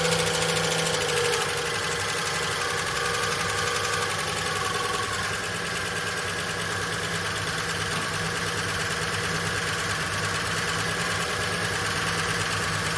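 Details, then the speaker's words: VJ Dodge ute engine just started after long storage, no transmission fitted: steady idle with a harsh metallic rattle about twice a second, quietening down; owner suspects clutch thrust bearing sitting on the pressure plate. "Had a nasty rattle in it when it first fired up now. It's sort of quietening down a bit."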